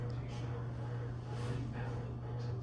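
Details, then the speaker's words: Hunter Mill Valley ceiling fan with an AC motor, running on high: a steady low hum with a faint rhythmic pulsing buzz. The loose light kit is suspected of causing the buzzing. "Definitely sounds like the light kit might be a little loose. That's why we're getting that buzzing."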